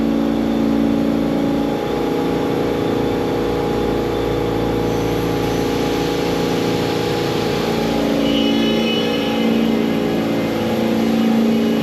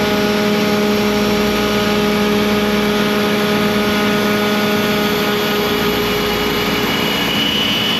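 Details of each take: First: ShopBot CNC spindle cutting 6061 aluminum after changing cut direction, start depth 0.04 and cut depth about 0.075: steady high whine with an even rasp, no chatter; better outside-cut direction with the clockwise bit pulling away, so chip load shrinks. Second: ShopBot CNC cutting 6061 aluminium door pulls with a 120° V-bit: steady high spindle tone over a rough labouring cutting roar, spindle straining under heavy cut; extra clearing pass planned so the V-bit won't hit two aluminium sides at once.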